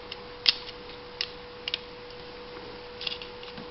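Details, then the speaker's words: 1992 Honda (swapped 96 D16Y engine), towed in with no spark, no injector or fuel-pump signal: with engine off, sharp irregular spark snaps over faint hum as harness is jiggled; distributor and PGM-FI ruled out, fault in wiring/connectors, suspected bad computer ground. "Even though you can't see it sparking right now, I can hear it sparking."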